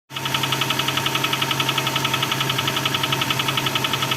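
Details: Honda Accord 6th gen (CF3, F18) cold idle: a sharp, regular tapping about four times a second over the engine hum, an engine knock; also recorded after warm-up.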